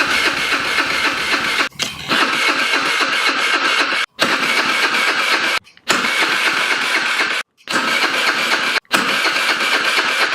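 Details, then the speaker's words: VIP 50cc Future Champion Chinese scooter, battery needing charge: electric starter whirs in several bursts of a few seconds with short pauses, engine never catches; cranks without starting, suspects the carburetor, possibly old fuel. "It's got a Kickstarter, it won't start, so I'm thinking it's the carburetor."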